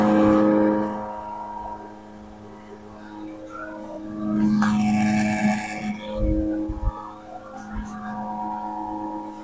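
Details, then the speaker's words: Mito MD 666 bottom-load water dispenser, which is not cooling: loud steady droning hum from the cooling fan, which stops when the cold water is switched off; music in the background. "Ini kondisi kipasnya bunyinya berisik sekali nih, Teman-teman, ya. Jadi, ini suara kipas bukan suara helikopter."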